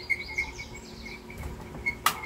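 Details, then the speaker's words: Britânia C50 Turbo 200 W air circulator fan before maintenance: sharp irregular chirps and squeaks over faint hum, shaft binding from lack of lubrication in motor; fix is lubricating the motor. "Tá vendo gente isso é falta de lubrificação galera esse eixo está rodando travado"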